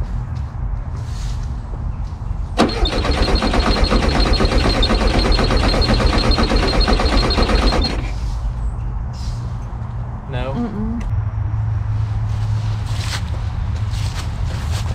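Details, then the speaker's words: Abandoned 1974 VW Super Beetle, off road since 2002: starter spins engine about four chugs a second for five seconds without firing; faint flash seen once, owner suspects weak spark, plans rotor and cap. "I saw a flash like one time that's it the third time okay no no it's not flashed like one time one time you saw it flash though it's probably a weak spark"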